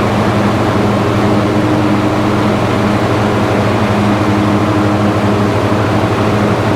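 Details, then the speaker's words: Husqvarna lawn tractor, about 500 hours, 26 hp V-twin: holds 3300 rpm no-load top speed, but once the electric PTO engages the blades the drone labors and never climbs back to full speed; deck unused for years, suspected rusty or seized. "top no load speed of this engine it's 3 300 rpms it's sitting right at 3300 um but as soon as you engage that pto um it just does not get up you know"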